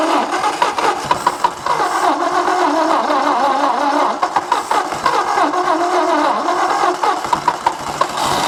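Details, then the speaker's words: 1964 Ford F250 with a 223 inline six runs rough and choppy with irregular pops over a mid-pitched idle; low compression on some cylinders. "Well guys, I don't know what I proved for sure. It's got some messed up compression, but it runs, doesn't sound horrible, and it's gonna probably go out of my shop."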